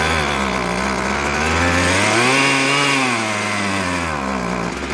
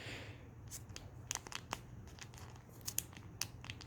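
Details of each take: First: Husqvarna 122HD45 hedge trimmer two-stroke, after carburetor and fuel line repair for running only on choke, no air filter fitted yet: buzzes cleanly, revving up and down smoothly without stumbling; running properly. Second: Husqvarna 122HD45 hedge trimmer carburetor that only runs on choke, metering diaphragm flexed by hand: dry crinkly crackling instead of soft and quiet; stiff diaphragm that won't pump fuel, to be replaced.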